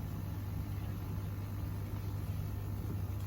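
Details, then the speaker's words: Koi pond air source heat pump, first switch-on after installation and wiring: a low, steady hum with a soft, even whoosh, and the fan is the only thing audible; no rattles, scraping or cycling; normal. "Yeah, only just. That's the fan. That's the only thing you can hear is the"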